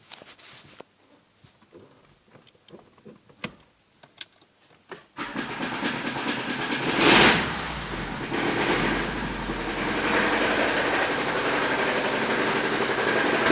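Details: Daewoo Sens 1.3 engine started and idling; it cranks and catches, then a quick tapping about three times a second sits over the idle: engine knock of unknown source under the hood.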